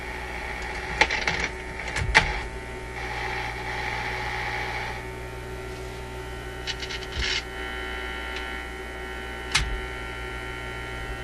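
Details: Zenith Y825 vacuum tube AM/FM radio during the hunt for hum and buzz while tube covers are fitted: steady low electrical hum with a buzzy edge from the speaker and handling clicks. A tube shield not grounding is suspected. Mains hum through the speaker.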